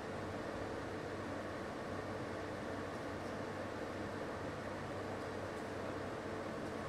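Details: LG portable air conditioner on F3 maximum fan with the compressor at maximum (about 59 dB reading): a steady, even airy rush with an unchanging low hum. This is normal operation at maximum.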